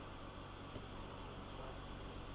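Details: 2006 BMW X3 E83, M54 engine with 5-speed GM automatic, after new belts and pulleys, idling cold (about 21°C transmission fluid) while cycled through gears during transmission fill; soft steady hum, no belt chirp; normal idle.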